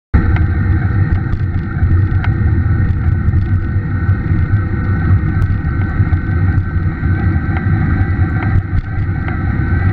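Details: Scott E-Aspect 910 e-bike Bosch mid-drive motor hums and rumbles, with faint irregular pops and taps breaking through; motor started making a tapping, popping noise.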